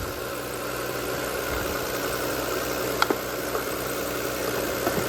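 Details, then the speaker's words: 2003 Audi A6 that sat for years, jump-started: smooth steady idle with an even hum and a couple of faint clicks, little of the expected valvetrain noise, no visible smoke. Owner suspects a possible bad catalytic converter. "golly she's running very smooth see if we got any smoke no I don't I don't see any plumes of smoke"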